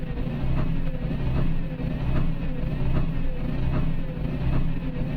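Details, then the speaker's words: Isuzu Forward diesel truck that stalls and hiccups while driving, no check light: it runs unevenly with a dull stumble slightly over once a second. "बाकी सब चीज़ ठीक है, लेकिन इसमें ये ऐसे roughing कर रही है ये।"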